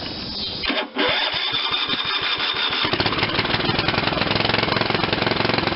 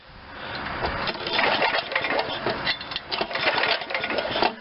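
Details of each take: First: Old Ariens RT7020 rototiller, Tecumseh HH70 7 hp engine, electric start on weak jump pack after repairs: catches after a few cranks, settles to steady even single-cylinder beat near idle, picks up slightly with throttle; runs normally. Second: Old Ariens RT7020 rototiller, Tecumseh HH70 7 hp horizontal-shaft engine, magneto kill-wire ignition: rapid uneven cranking strokes with clattery mechanical noise, never firing; spark check still shows no spark, kill switch short suspected.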